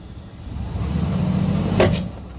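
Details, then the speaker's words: 2013 Mercedes GL450 4MATIC (X166) at about 130,000 miles, foot on brake and put in gear: engine hum under load, then a sharp clunk as the stretched transfer case chain skips (grinding complaint); the fix is chain replacement. "You hear that skipping. I don't want to do it too much, but that is actually the transfer case chain that is skipping."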